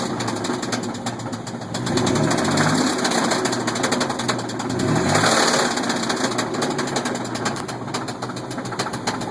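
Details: 1998 Chevrolet S10: a dull, fairly regular knock under the idle that swells as revs rise; rod bearings worn after a failed head gasket let coolant mix with the oil.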